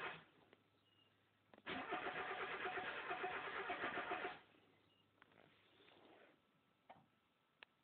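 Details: Mazda Miata. About three seconds of steady rhythmic cranking that stops without the engine ever catching. Crank no start; it turns over but won't fire.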